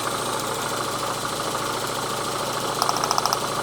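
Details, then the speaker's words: 1990s Renault Twingo, idling on two cylinders: lumpy uneven idle about three thumps a second with sharp spark snaps; strong spark at leads but plugging them in changes nothing, two cylinders dead, ECU fault suspected. "These 2 in here are not working. And listen to this. You could probably see the spark. The spark is very strong into the engine, but it doesn't change engine mode at all when I plug it in."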